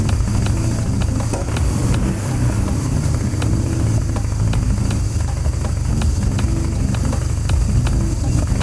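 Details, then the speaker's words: BMW R1100GS twin at idle after fuel tank cleaning, new fuel lines and throttle bodies refitted: starts a little rough, with a lumpy, uneven low rumble and irregular pulses, because the throttle bodies on each side are not yet synchronized. "Good news. So the bike started. You heard it was a little rough. It was a little rough starting. It was a little rumbly, but that was not surprising because the throttle bodies on each side are not synchronized."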